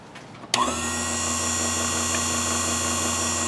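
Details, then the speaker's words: Task Force air compressor part 83691, suddenly stopped making pressure: at switch-on a steady electric hum with no pumping beat; motor runs but compressor doesn't, owner suspects motor disconnected from compressor, not yet confirmed. "yeah it just hums it doesn't uh you don't hear the compressor run so it sounds like the motor somehow is disconnected from the compressor"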